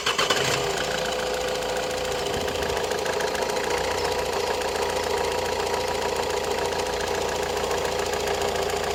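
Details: Opel Astra J 1.7 CDTI diesel, a week after purchase from a dealer, settling to idle after brief rev: fine rapid clicking through the clatter; engine ticking at idle, cause undetermined.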